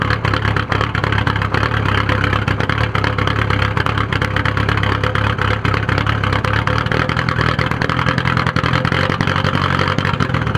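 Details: 1997 VW 1.9 TDI (1Z) diesel, suddenly started days ago: uneven, lumpy, stumbling misfire-like rough idle with white smoke; cause unknown.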